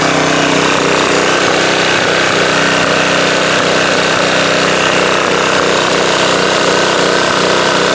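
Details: Subaru electric-start pressure washer engine after oil refill, checked for leaks (over-oiled air filter suspected cause): runs steady and even at constant speed, no misses, surging or knocks; healthy, no leaks seen.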